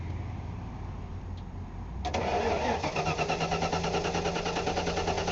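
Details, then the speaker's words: 1994 Ford F-150 hot restart after new spark plugs only (wires, cap, rotor not replaced): steady cranking about three beats a second, spark present, fuel at Schrader valve, won't fire; cause unconfirmed. "nope all right don't kill the battery it's sparking I'm getting spark but it's just not it's not firing"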